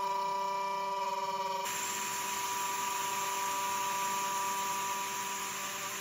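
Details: Genmitsu 3030 PRO desktop CNC with stock 300W spindle milling 20 mm aluminum pockets, 2.5 mm deep at 0.3175 mm step-down: a high spindle whine with a rough buzzing cut noise, i.e. chatter; rough edges, pocket 20.7 mm instead of 20 mm.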